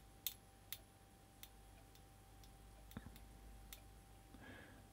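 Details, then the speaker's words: Smoke alarm on circuit under 1000 V insulation resistance (megger) test between line and neutral: faint irregular crackles and ticks, internal arcing that may have damaged it, reading about 1.2 megohms. "Now that certainly didn't sound good, did it? Because there was that sort of crackling noise going on inside. So that may well have damaged something."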